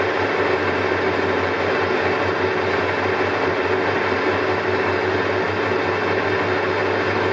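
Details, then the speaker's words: Colchester Triumph 2000 lathe skimming about five thousandths on a long unsupported roller shaft, no steady: constant hum with thin ringing note; chatter from workpiece flex that follows existing vibration and worsens even at tiny cut depths. "starts chattering so hard to get rid of it even at the tiniest depths of car it just follows the existing vibration and if anything just gets worse"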